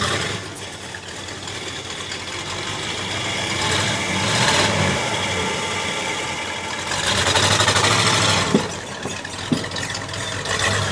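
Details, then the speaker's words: Truck engine running with a scraping tick about three times a second over it; the radiator fan blade is hitting the shroud. "Hey, I think the radiator fan is hitting the shroud. Yeah, I can hear that."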